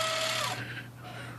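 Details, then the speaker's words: IBM Wheelwriter 10 typewriter with carrier stiff and binding as it moves: loud buzzing whine with a few falling tones from the carrier stepping motor as the carriage tabs across. "so the trouble with this is that's a carrier is a little stiff to move the main that noise is coming from this motor right here the stepping motor"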